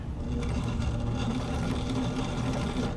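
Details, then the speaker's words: Brother VX757 sewing machine, possibly late 1970s, run by pedal with the crooked, backwards-installed needle removed; even steady whirring with quick regular stitch clatter, no catching or grinding. Normal running. "Listen to that go. Sounds pretty good."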